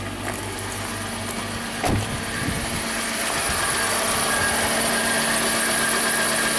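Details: 2011 Dodge Grand Caravan 3.6 Pentastar V6, 146k miles, warming up at idle: slightly uneven, lumpy beat with a faint stumble every few turns; suspected compression misfire, possibly on bank 2.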